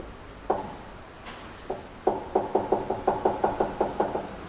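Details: Front suspension knock on a Corsa: a quick run of about a dozen hollow, unevenly spaced clunks with no engine running, heard after noisy rear wheel bearings were found; cause suspected, not confirmed.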